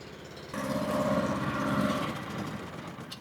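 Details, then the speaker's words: Steady, even fast idle from the 15.8 HP Predator single-cylinder engine on a DIY Mud Motors kit fitted to a 14' Tracker jon boat, out of the water; no gears, the propeller spins on startup, no knocks or rattles. Normal running. "All right, we got it running. You can see the propellers down there spinning."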